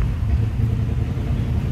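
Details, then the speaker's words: 1950 Ford Custom Deluxe Tudor, flathead V8 with dual exhaust, cold and not recently run; starts easily into a deep, even burble, settling straight into a steady low idle with no misses or knocks. "how easily it starts. Nice running car."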